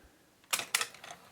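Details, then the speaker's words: Akai GX-77 reel-to-reel deck after replacing a seized, stripped loading gear cam; lifter switch had seemed to jam when pushed down: crisp clicks as the up/down loader cycles, no grinding or binding; normal tape lifter operation. "Okay, this is the up and down loader switch. Up,"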